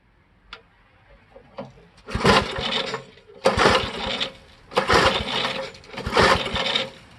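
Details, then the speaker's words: 1973 Briggs & Stratton engine on a vintage Parker Thatch-O-Matic, full throttle and choke, after flooding, running two-stroke gas: four recoil rope pulls, each with a harsh scraping squeal, engine never catches; cause unknown, owner wonders if the belt. "oh that sounded terrible i have no idea what was that that squealing noise was oh"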